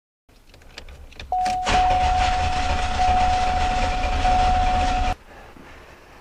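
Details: Owner thinks it is a 1991 or 1992 Olds 98 with a no-start, cranked with a voltmeter connected. About four seconds of steady, somewhat slow cranking with no catch; the meter read almost 11 V as the battery weakens, showing a command is present; cause unconfirmed.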